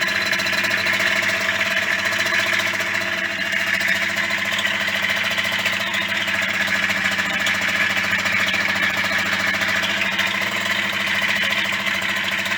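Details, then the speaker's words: Yamaha DT50MX two-stroke: it starts and idles but a dry, busy metallic rattle rides over it throughout and sounds too rattly. Owner suspects an engine fault and plans to strip it again and replace the earlier non-Koyo bearings with Koyo. "Okay, well, she starts alright, she runs alright, but she's just, sounds like there's something wrong with the engine."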